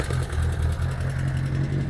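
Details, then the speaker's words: Two 1976 Reliant Robins, one a van: small engines putter at a low, steady beat with no knocks or hunting; both idle cleanly, one sounding a bit loud. "But yeah guys, two beautiful little Reliants, idling quite happy."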